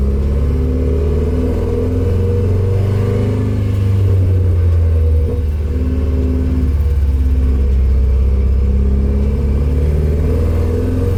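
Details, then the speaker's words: Nissan 240SX S13 driving around the block on its first drive: engine stumbles and breaks up under load with uneven low popping instead of a smooth pull; misfire from timing drifting with a loose distributor. "um and i know in the video you can probably hear it breaking up and popping and just not running correctly"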